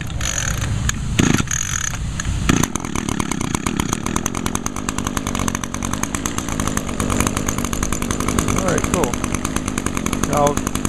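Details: 2010 Echo SRM 225 straight-shaft trimmer, 21.2cc two-stroke with i30 recoil starter, unused about a month and a half: fires after a couple of pulls and settles into a steady, even buzz with no misses; healthy start and run.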